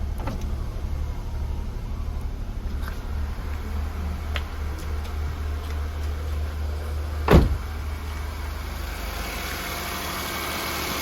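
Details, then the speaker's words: Oil-consuming engine run out of oil, now refilled with about 3.5 L plus new oil and air filters: steady, even low idle hum, no knocking or ticking, one stray click; normal, though an oil seep underneath remains. "masih taraf normal ya beda sama tadi karena tadi itu olinya bener-bener tidak ada"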